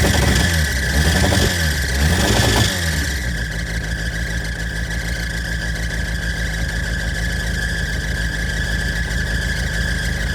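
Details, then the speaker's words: 1988 Suzuki Samurai, parked since late 1990s, no muffler, in neutral: loud raw engine note revs up then settles into a steady, even run; normal running. "There's no muffler on this thing either."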